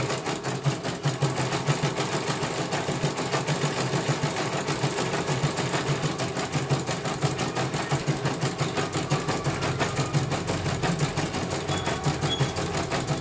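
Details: CNY computer embroidery machine from Banjarnegara, Central Java, test-stitching after service (dynamo motor earlier wouldn't spin at all): quick, even stitching ticks over steady motor hum, no grinding or rattle; one colour finished, result very good, normal stitching.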